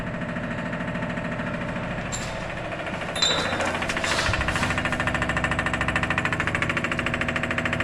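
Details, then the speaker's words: 1973 Suzuki LJ50 with swapped-in 1 L four-cylinder Lifan engine, key on: steady rapid ticking, about two to three clicks a second, from the electric fuel pump priming; pumping normally. "Well, it's pumping. So cool. So, we know the fuel pump is pumping."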